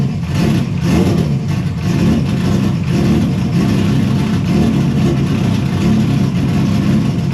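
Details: Engine running after its intake manifold exploded on power-up and was replaced with a newly printed manifold. A loud, deep note holds steady and even, with no misses or stumbles, so it is running normally.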